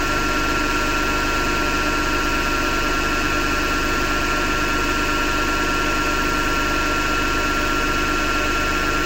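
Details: Hotpoint Ariston FMD963 washing machine running: steady coarse grinding rumble over the drum turning; grinding noise suspected to come from the motor rather than the drum, belt to be removed to test, not confirmed.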